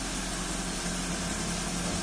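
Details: 2005 first-generation Toyota Avanza at idle after repair and clearing of EFI trouble codes, scanner showing no faults: quiet, smooth, even hum under steady hiss, no misses, knocks or hunting; engine idles normally.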